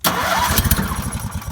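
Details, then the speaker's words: Welder/generator engine cold-started on choke via stop/run toggle, set for AC welding, last run the day before: catches at once, fast uneven choke-rich chuffing while warming; normal start, no knocking. "So to start it, you just pull the choke. Got a toggle switch here, stop, run, and then we'll start it here."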